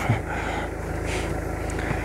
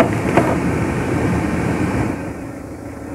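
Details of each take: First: Renault Megane 2 blower motor at speed 4 (speeds 1–3 dead, bad resistor): fast regular ticking scrape over the fan whir; mouse-chewed broken blades unbalance at speed and hit the housing, motor itself fine. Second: Renault Megane 2 cabin heater blower after replacing the mouse-infested fan and the resistor: smooth steady airflow stepping down to a lower speed, no rattle or squeal; all speeds work quietly.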